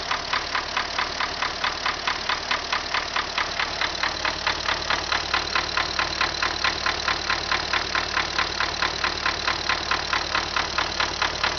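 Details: MTZ tractor diesel just started at idle: steady, sharp, regular knock about 1.5 per second over the idle; internal knock, cause unknown.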